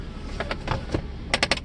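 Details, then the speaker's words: 1995 Mercedes S600 coupe (W140) from Florida, rear sunshade motor: weak whirr in short uneven bursts with sharp clicks, shade works barely; owner plans to replace the gears, suggesting worn gears. "And the one thing that I haven't tried actually is the rear shade. Let's take a look. The rear shade works. Well, barely."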